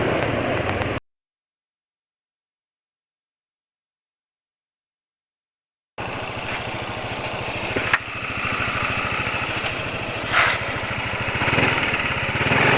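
Even, steady single-cylinder idle with a regular beat and no rattle or knocking; the engine is running smoothly.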